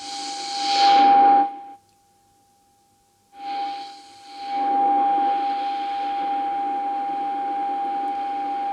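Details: Valve AM radio during RF alignment, signal generator and dial set to 210, oscillator being adjusted: a clean, steady mid-pitched test tone over light hiss drops out briefly, then returns solid; the oscillator now tracks correctly.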